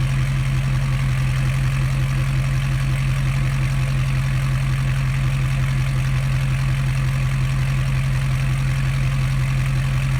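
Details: 2012 Ford F550 6.7L Powerstroke diesel at idle with the exhaust ending at the pipe after the headers, mic 16 inches from the open pipe at a slight angle: deep, loud rumble with a fast even pulse and a harsh low drone.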